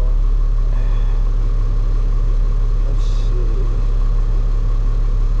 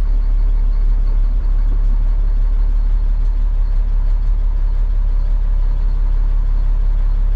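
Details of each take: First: Caterpillar 3126E diesel truck losing power with a skip, revved: a heavy rumble with an uneven, loping beat about three times a second. An injector cut-out test found a dead cylinder from a bad injector, which was then replaced. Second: Caterpillar 3126E diesel truck that lost power with a skip, after the bad injector found by a cut-out test was replaced: steady, even rumble at idle with no misses, knocks or hunting; it runs smoothly.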